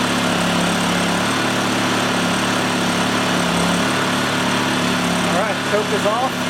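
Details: Honda EU2000i generator after carburetor cleaning, choke on, fuel on: a steady hum whose tone dips and wavers near the end, with speed hunting slightly. A carburetor return spring is suspected to have popped off. Unsteady running.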